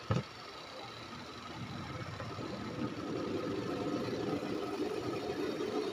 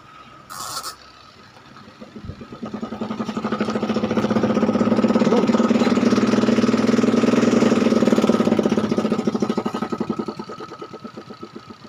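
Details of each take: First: Panasonic twin-tub washing machine spin dryer after removing cloth caught on the tub shaft: it winds up to a steady, even hum with no clattering. Normal spin cycle. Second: Panasonic twin-tub washing machine whose spin-dry tub clatters roughly about four knocks a second from plug-in; tub is aligned and motor is fine; cloth caught on the shaft causes the noise.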